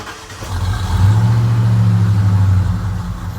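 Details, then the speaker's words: Ford F150 cold start, not run that day: the engine swells up then sags back, tacho going up and down; hunting idle that varies with temperature. "And you see that purging, you see how the tacho is just going up and down. It does a little bit of that depending on the temperature."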